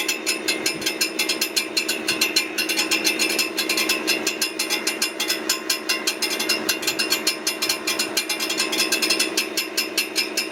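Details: Brand-new 2023 Ford F-150 with 400 miles: busy, fast, even metallic ticking and clatter over a steady running engine, a rattle apparently near the transmission; cause unclear.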